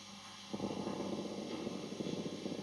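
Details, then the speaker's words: Tube guitar amp with reverb: low crackling rattle like vibrating springs over hiss, springs not actually vibrating; most likely caused by the reverb driver valve. "Almost like the springs are are vibrating. I can tell you they're not. It's most likely the reverb driver valve itself that can cause that noise."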